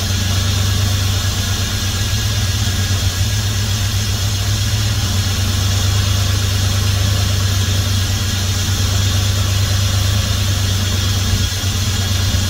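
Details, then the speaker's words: 1971 Dodge Coronet police car, 383 big-block with 4-barrel carb, first start since the early 1990s after new plugs, wires and an oil change, fuel poured into the carb: deep even V8 burble, no knocks or misses, 60+ psi oil pressure. Normal idle. "well I'm just tickled by that listen to that thing purr"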